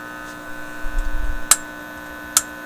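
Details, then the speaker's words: Teletone 67-600E stereo record-player amplifier with volume raised: constant low power-supply mains hum with a buzzy edge and a few clicks. Suspected cause is the simple design picking up electrical noise from modern devices; reducing it failed. Amplifier hum. "it's much more distinct now it sounds like a power supply hum and raising the volume"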